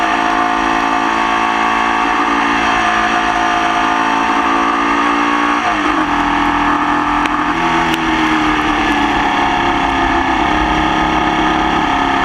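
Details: Formula Vee flat-four racing in the wet at Croft, with a misfire that lasted the whole race. It pulls hard at high revs, but the exhaust note sounds rough and uneven under load, consistent with a persistent misfire.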